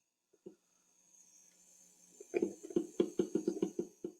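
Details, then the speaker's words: Siemens SKP25 gas valve actuator on a boiler gas train: its small pump is heard pulsing about five times a second under power, but the valve never opens because the actuator lacks enough oil. "But you can hear you can hear the pump running. This is not something you typically hear in the boiler room since boiler rooms are noisy. But you can hear that pump running, but I don't have enough oil"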